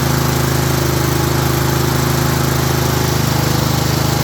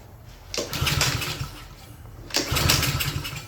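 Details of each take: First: Craftsman self-propelled mower with Honda engine, previously would not start, running after the missing/misplaced gasket was refitted; steady, even drone with smooth unbroken beat, holding speed without stumbling or surging, smoking a little. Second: Craftsman self-propelled mower with Honda engine, no-start, oil overfilled, given starting fluid: two brief sputtering bursts that catch and die while cranking; flooding with gas shooting out the muffler, suspected carburetor problem.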